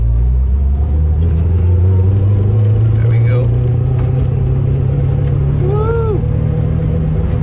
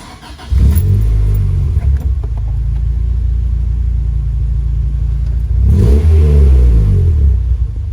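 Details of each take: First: Honda Civic EK hatch with B18C1 engine, misfiring with a very choppy, stumbling rough idle for a week while still reaching VTEC; no apparent loss of power or compression, owner suspects the distributor and replaces it with a donor part. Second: Honda Civic EK hatch with B18C1 engine, previously misfiring and idling rough, after swapping in a donor part: starts quickly, settles to an even idle, then revs up and down smoothly without stumbling; healthy running.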